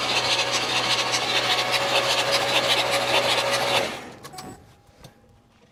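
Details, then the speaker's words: 1969 Buick Riviera GS V8 unstarted for about 30 years, starter cranking: even beat of about 160 per minute for four seconds, then stops. It turns over freely, not seized, before a finger compression check. "sounds like it's turning over pretty good"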